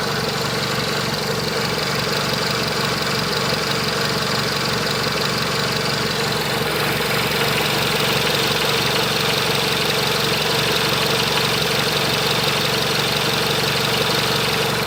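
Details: Renault Megane 2 1.6 16v petrol idling with an uneven, lumpy beat about three pulses a second, car shaking; misfire symptoms but no OBD faults found with a Delphi DS150, cause unconfirmed.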